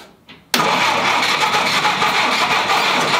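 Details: 1946 Willys CJ2A Jeep after five years in storage, first start attempts with the choke adjusted: the starter spins the engine with a steady whirring crank that never catches, turning over without firing.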